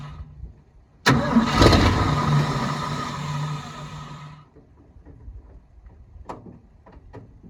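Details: 1972 Ford F-350 V8 auction truck, cold chilly morning: engine catches on a sharp crank, runs roughly about three seconds, then fades and dies; owner notes it's not pumping fuel though carb bowls are full, then finds something seized/frozen needing penetrant.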